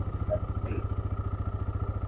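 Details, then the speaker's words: TVS Raider 125cc BS6 motorcycle: quick, even thumping at high idle rpm from the auto choke at start. The rpm stays high instead of dropping, and the bike is giving poor mileage of about 40. "शुरू में RPM उच्च क्योंकि इसमें auto चक system यह दिया गया है।"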